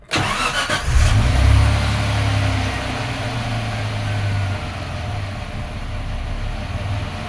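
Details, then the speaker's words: 1995 Suzuki Escudo at operating temperature, started with diagnostic check mode engaged (code 21): engine catches, flares, then idle hunts up and down and sometimes stalls; expected idle hunting in check mode. "mode see it's hunting sometimes it even stalls out"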